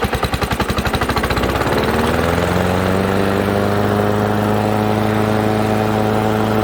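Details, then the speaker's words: Old Honda HRA215 SX self-propelled mower with blade clutch, apparently shed-stored several seasons, needs carb cleaning: engine chugs unevenly catching, then runs fast and steady on choke with manual prime; won't run at idle or cut rpm. "This thing's probably got to warm up for a minute before it'll allow us to run it with the blade clutch on."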